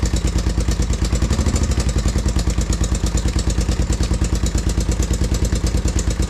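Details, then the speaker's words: 1987 Honda TRX350 Foreman single-cylinder after service (oil change, carb cleaned): hard, heavy knock about three a second at idle; screwdriver listening places it in the head and piston, not the case. "it's definitely up in the head and the piston and not down in the actual case. Because I can distinctly hear it better."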